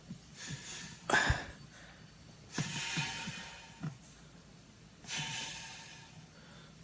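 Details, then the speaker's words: Oldsmobile 303 V8 teardown, engine turned by hand with cylinder heads still on: soft airy hisses in slow bursts as air leaks past the valves. "got some hear it hissing past the valves, that's for sure."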